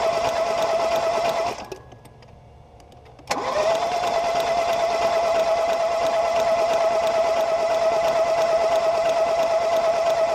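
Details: 2018 Ford Focus SE with fluid found in a cylinder and spark plugs removed: a fast, even starter whir with no compression beats, a short pause, then it spins freely again; the engine cranks with the plugs out.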